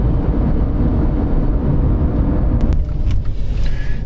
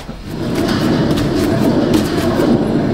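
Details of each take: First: 2010 Dodge Avenger 2.4 on a road test after front wheel bearing replacement: steady low tire rumble at speed, with no more bearing noise. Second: 2010 Dodge Avenger 2.4: rough, gritty rumble with fast uneven churn as the front wheel turns, from a bad, loose driver's-side front wheel bearing.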